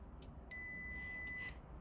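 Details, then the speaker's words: 2002 Mercedes CLK 230 W208 convertible soft-top microswitch (grey/brown wires) rechecked on multimeter continuity: one steady high beep of about a second as switch closes; opens and closes properly, microswitch working. "yep open close open close so that micro switch is working"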